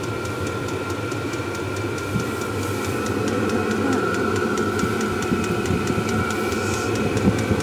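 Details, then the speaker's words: Kroak diesel parking heater for a camper running and heating well: even blower rush with a steady high whine and quick light fuel-pump ticks about four a second; pump noise is slight and reasonable, normal operation. "a pompe qui fait un petit bruit mais c'est raisonnable quand même raisonnable je pense que dans la soute on l'entendra pas trop"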